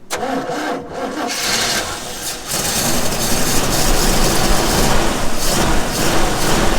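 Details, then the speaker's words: 1962 Chevrolet Impala 327 V8 with aftermarket carb, first run in 15+ years: cranks briefly, catches, settles into a strong, even idle with no knocks or misses; healthy. "damn this thing runs good she is mint hold on runs awesome"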